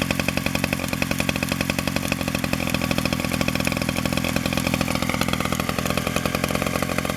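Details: 1947 Danarm Junior Mk1 two-stroke chainsaw after full restoration (new bearings, coil, condenser; remade fixings; timing set), no fuel tank yet, only a drop of fuel in the pipe: even, rapid popping at steady idle-to-mid speed, no gaps; runs normally.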